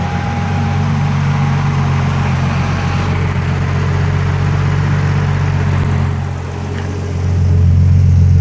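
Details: BMW E30 with a turbo M30 engine, idling and blipped, with a thin steady whistle over the hum from a vacuum leak.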